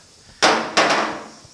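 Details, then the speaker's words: 1950 Chevy five-window truck cab, repairing the bent mirror-mount area: light hammer-on-dolly taps giving two sharp metallic hits with a solid short ring, no hollow slap, meaning the sheet metal is sandwiched on the dolly and done. "and i'm tapping really light and you hear that solid sound that means i'm sandwiching the sheet metal to the dolly so it's time to stop and move on"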